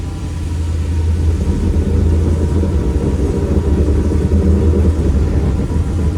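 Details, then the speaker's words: Split-window Corvette that sat 25 years, in first gear with wheels turning slowly: deep, uneven rumble from the rear; rear end sounds rough, judged an open differential, cause not yet known. "Pretty rough back there. Definitely open differential."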